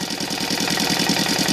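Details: Saito FA 125 model engine converted to CDI ignition, EVO 15x6 prop, idling around 1200 rpm: steady, even popping of about ten firings a second with no misses or stumbles; a clean, healthy idle.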